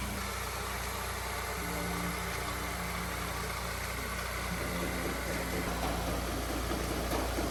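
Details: Honda S2000 project car running after wiring harness replacement: steady, quiet idle with an even low hum, no exhaust puffing or ticking; engine idles cleanly and healthily.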